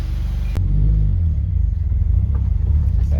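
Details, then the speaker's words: Subaru WRX FA20DIT on its first test drive after rod-knock repair, pulling away under light throttle: deep, smooth rumble with no knocking under load, running better than before the rod knock; normal running. "clutch holy crap it's running like a dream it sounds like it's running better than honestly than before before the rod knock"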